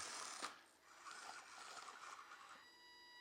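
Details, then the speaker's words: Carisma MSA-1E 1/24-scale Subaru Brat 4WD RC crawler at slow crawl throttle; a thin, steady high whine from the electronic speed controller rises with a little throttle. Owner plans to fit a different ESC to eliminate it. "You can hear the whine. That's the ESC whine."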